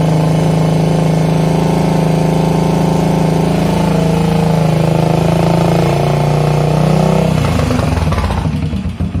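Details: 1981 Yamaha SR500 single-cylinder, newly bought, started after oil and filter change, sump check ball/spring/gasket replacement and valve adjustment: uneven, lumpy thumping idle that drops away, still smoking; compression only 115 psi with release removed, cause not yet found.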